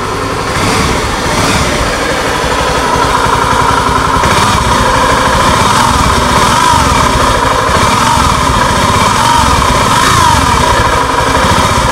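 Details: Honda Scoopy ESP scooter engine at idle: coarse, gritty drone and rough hum (ngagerengseng) the owner complained of; source not yet known, could be bearings, gearbox gears or CVT.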